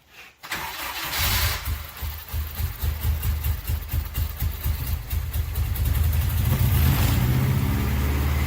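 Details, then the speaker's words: Mazda Miata with freshly swapped Honda K20 engine, Honda ECU, untouched tune, first start attempts, fuel pump possibly not heard: steady rhythmic cranking about four beats a second, never catches to idle; crank no start, fuel gauge shows empty tank suspected. "according to the fuel gauge, we have no gas. >> Sounds like we have no gas."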